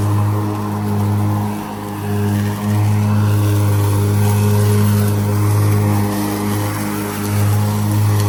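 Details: Ryobi ZR3 80 V 42-inch brushless zero-turn electric mower: steady low hum of blades spinning, with brief dips as wet grass loads and bogs them; driving slower lets them clear.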